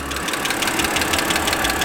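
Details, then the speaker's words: 2008 BMW X3 3.0L, hood open at warm idle: fast, light, even ticking over the engine hum; suspected lifters, cause not confirmed. "definitely got some kind of clicking sound going on if you can hear it you know any anybody listening to that's gonna say okay what does that sound and why is it clicking"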